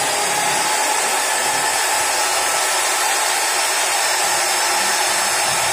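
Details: Modern M2600 circular saw after replacing the armature and carbon brushes: a smooth, steady high-pitched motor whir at constant speed with no rattle, catch or crackle, running healthy.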